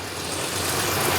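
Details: 1969 Dodge Charger V8, first start after sitting abandoned for many years, cooling system not yet filled, runs steady and even with a full, smooth exhaust roar and no stumble or miss; engine running normally.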